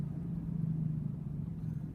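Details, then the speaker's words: 2006 Chevy Uplander at about 40 km/h: steady drone and grinding hum over road rumble, worse turning left and nearly gone turning right; front wheel bearing noise, passenger-side bearing judged bad. "now I'm not sure if you can hear in the video but there's a grinding noise and what I found is it when I turn left it actually gets worse when I turn right it gets better"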